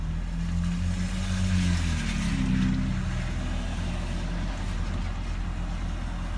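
Cold idle that hunts and wavers, with the engine note drifting up and down instead of settling; it's running rough from cold.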